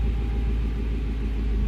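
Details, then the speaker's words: 2004 Jaguar XKR V8 after sitting for months, previously running rough as if on 6 or 7 of 8 cylinders because an intake hose had come off the throttle body; after refitting and clamping it, deep even idle with no stumble. "That sounds a lot better."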